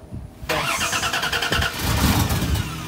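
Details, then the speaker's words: Old Dodge Dakota sitting about seven years: starter churns evenly, engine fires only briefly on starting fluid then dies; no fuel pressure, fuel pump silent and locked up. "you feel it yeah the pump's locked up it's like it's trying to turn but it ain't turning"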